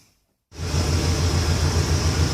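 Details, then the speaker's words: 2002 Ford van, 5.4 Triton V8 (all eight cylinders heli-coiled): steady, even idle with a faint rhythmic pulse after start-up; the earlier exhaust-leak-like ticking is completely gone after fixing one loose spark plug that was about to eject. "got it all done got the truck started and uh the ticking is completely gone so it was that one spark plug that was just uh about to pop out"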